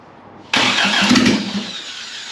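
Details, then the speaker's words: 1982 Toyota Celica Supra with a swapped, turbocharged 3RZ-FE, start attempt with no sensors or intake, fed brake cleaner. Starter cranks, then a brief ragged burst of firing fades without settling to idle. "I don't know if I'm gonna get anything else I probably need more than one hand but it fires"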